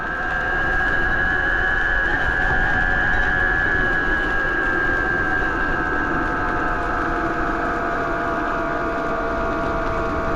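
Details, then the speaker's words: 72V BBS02 mid-drive on Phaserunner after JB Weld rotor repair, climbing a big hill under load: loud whirring drone with sharp high whine, much louder than a BBSHD; owner unsure of cause, suspects rubbing or bad bearing. "let's see what it sounds like it's loud like it's a lot louder than the bbsh HD"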